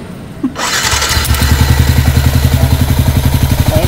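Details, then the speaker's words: Yamaha Sniper 155 first start after replacing exhaust rocker arm, cam bearings both sides and cam bolt: starter catch then quick even single-cylinder putter settling into idle, no top-end ticking; now quiet again, normal start and idle. "Tahimik na ulit mga boss."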